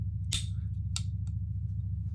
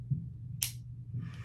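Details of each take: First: Pietta Colt 1860 Army cap-and-ball revolver after fitting a new hammer to fix a broken cam, in a function test. Two sharp clicks as it cocks and locks to full cock, with the bolt back up. Normal cocking action. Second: Pietta Colt 1860 Army revolver with a broken hammer cam, before repair. Two sharp clicks about half a second apart when trying to set half cock; the second is the bolt snapping up and locking the cylinder. It fails to hold half cock.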